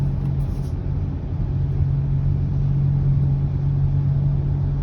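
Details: 2020 Subaru Ascent while driving: steady low humming drone under road rumble, holding fairly even through the run; origin not identified.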